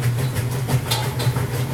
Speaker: You can hear that knocking sound. Just really not sure where that's coming from. And it's on the rinse cycle, just so you